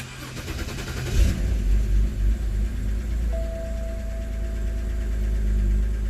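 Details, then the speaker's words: BMW 328i E90 at first start after installing a three-stage intake and a new engine cover, replacing what seemed to be a bad CCV valve causing rough idle: it catches quickly, revs briefly, then settles into a steady idle with no check engine light; apparently fixed. "no check engine light the idly steady so I think we fixed everything and we have the three-stage intake whoo so that seems to me like a working engine"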